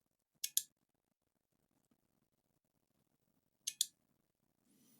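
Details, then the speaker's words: Noco GB70 GeniusBoost HD 12V 2000A jump starter after no-power repair, under test: sharp double clicks about every three seconds as its relay cycles because the input voltage is too high; works once voltage is lowered. "I can hear the relay clicking because the voltage is too high let's lower the voltage"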